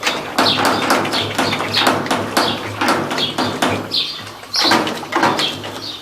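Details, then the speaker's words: Electrolux LT15F washing machine during spin, rear suspension rods worn after an earlier fix attempt failed; sharp high chirping squeaks about twice a second as the tub rocks; suspension rod squeak. "a LT 15f com aquele problema de suspensão que faz um barulhão Eu já tentei uma alternativa e não deu certo"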